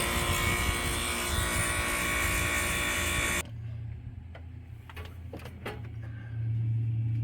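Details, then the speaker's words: HVAC outdoor unit on a two-year-old system just after compressor replacement (blown terminal, filter dryer swapped, outdoor coil 75% cleaned): loud fan roar, then clean low compressor hum with a few clicks settling in; smooth, normal startup. "Alright, so we just started up the unit. Compressor sounds good on startup."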